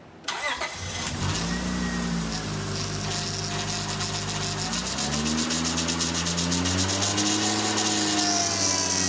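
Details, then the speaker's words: 2002 Acura TL Type-S after replacing the leaking high-pressure power steering hose, engine held near 2,000 rpm while steering lock to lock: a wavering pump whine rises and falls as trapped air bleeds out of the fluid. "it's all that air escaping out of the system and so again we're going to fill it up to the max fill line"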